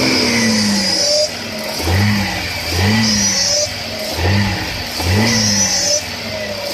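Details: 1996 Audi A6 with a very recent noise when accelerating or revving: repeated revs rise and fall, with a high whistling tone that climbs with engine speed; the source is unclear.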